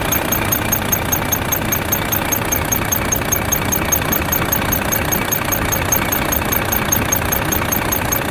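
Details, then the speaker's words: Volvo FH13 diesel at idle, two days after rocker arm replacement: high, thin chirps repeat about two and a half times a second from under the valve cover, toward the front; a rocker arm squeak. "два дня назад была у нас на замене рокеров приехала со скрипом из под клапанной крышки как скрипит сейчас я это все вам покажу"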